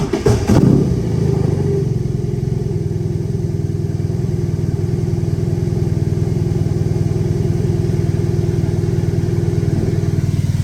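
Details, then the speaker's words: BMW R18 Bagger started right after a DIY engine oil and filter change at about 8,000 miles: opening burst of clatter, then a low lumpy idle with an uneven pulse. Owner leaned the bike right to return oil; rough starts after oil drain, cause unknown. "I don't know why these things start up really rough after the oil's been drained, so I'm just gonna try to lean it as much as my strength allows me towards the right side to just let some oil go ahead and go back in that way."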